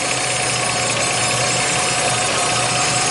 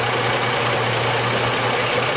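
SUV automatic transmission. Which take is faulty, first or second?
first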